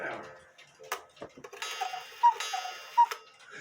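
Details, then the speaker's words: HECO cuckoo clock after repair, with the movement and bellows reinstalled and the back door still off: faint ticking, then two short, soft calls; quiet, but the cuckoo works properly. "it's quiet but anyway i hope you all liked this video please subscribe to my youtube channel and god bless"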